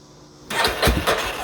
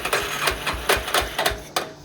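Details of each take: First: 1991 Yamaha Warrior with new aftermarket wiring harness and makeshift battery, no gas in tank: starter spins the single with a few uneven puffs that never catch; has spark but cranks without starting for lack of fuel. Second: 1991 Yamaha Warrior single-cylinder ATV cranking on a makeshift battery after fitting a new aftermarket wiring harness, no fuel in it; uneven chuffing bursts two to three a second with near-fire puffs, it's getting spark and wants to fire. Normal cranking without fuel.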